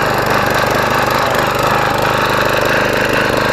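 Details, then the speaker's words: Craftsman Platinum self-propelled mower without blade, just fitted with new belt and self-propel cable: uneven, stumbling chatter at two to three beats a second, loud and ragged; rough running, possibly flooded after being tilted, unconfirmed. "alrighty alrighty it doesn't sound like it's running too good but we did have it up on an angle so we could have flooded it out a little bit"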